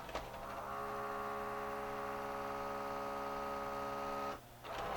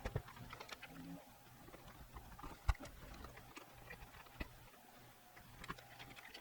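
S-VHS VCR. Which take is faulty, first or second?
first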